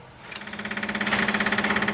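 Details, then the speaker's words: 1954 Ford Skyliner with a rebuilt carburetor, priming with an electric fuel pump before first start: fast, even ticking buzz at about fifteen pulses a second, steady once running. Fuel reaches the carburetor but leaks at the pump. "Oh, well, we got fuel coming, but it's leaking at the pumps."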